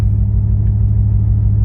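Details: Ford Mustang S197 3V V8 after fixing leaking intake manifold gaskets and vacuum lines and replacing the fuel filter, which cured lean codes on banks 1 and 2 and a cylinder 6 misfire: deep, even V8 idle with no stumble or miss.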